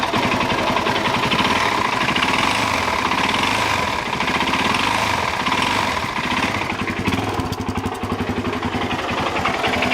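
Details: Suzuki DRZ400 single warming up before oil drain: rapid, uneven knock over the idle; teardown found connecting rod play (rod knock) and a scuffed piston and cylinder.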